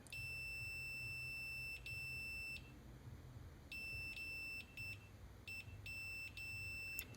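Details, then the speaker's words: Computer mouse left-click micro-switch before repair, which the owner says releases while held: on the continuity meter the beeper cuts in and out in short uneven bursts instead of holding steady and needs extra pressure to beep; worn, dirty contacts making poor connection. "but when you hear the click, it should also beep, but it's not. I have to press it down more to get it to also beep."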